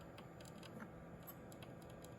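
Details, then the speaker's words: PC with first motherboard and AMD FX-8320, AIO cooler pump running: faint irregular crinkly ticks over quiet hum; noise stops when pump unplugged, pump possibly dying. "The board's making, like, crinkling sounds. I think it's the pump."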